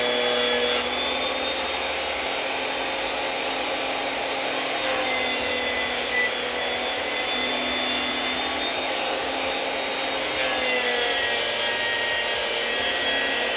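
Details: Makita 2012 12-inch lunchbox planer with freshly changed sharp knives: steady loud whirr with crisp, even cutting hiss, a sharp scoop-scoop with no smacking or slapping; clean normal cut.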